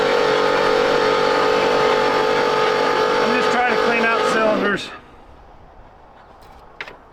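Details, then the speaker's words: 1968 Oldsmobile 442 that was locked up: with the water pump unhooked, the starter spins the engine over freely at about four beats a second without drag and it sounds better; normal cranking. "all right now we got the water pump unhooked let's spin this over and see how it sounds that sounds better"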